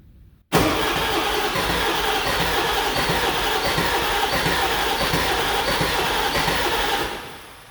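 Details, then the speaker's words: Ford 7.3 Powerstroke diesel truck after an engine-bay fire, cranked with key off to check compression: starter churns about six seconds at an uneven, skipping pace with some weaker compression strokes; skip always present, owner suspects no oil pressure, oil shows possible metal contamination. "It's got a bit of a skip, but to be honest, it's always had that. It might actually start back up. We can, however, try giving her some sort of ether. It almost sounds like it's not getting oil pressure."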